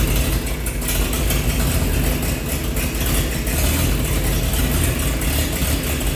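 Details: 1948 Chevy truck engine, not run for 30 years, diesel fuel in the oil pan, new coil fitted: deep steady low rumble at idle, no misses or knocks; running good, slight steam from thermostat housing.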